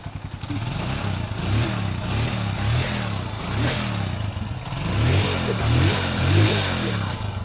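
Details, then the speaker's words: Bajaj CT 125 motorcycle after engine overhaul and cleaning a filter clogged as if run on diesel: single cylinder fires evenly and picks up cleanly through throttle blips, no knock or rattle; quiet, no more smoke, normal running. "Ganda ng tulog. Tahimik na magina. Wala na usok."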